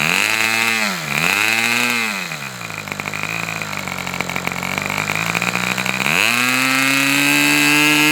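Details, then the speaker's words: Customer's Fox twin-cylinder glow engine on probably its final run of the day, outdoors as it cools off: high-pitched buzz dipping and climbing with throttle, then holding a steady crisp high run; sounds healthy, running normally. "This was probably one of the most enjoyable engine runs I've done in a long, long time. This thing really, pardon me, but this engine really kicks ass."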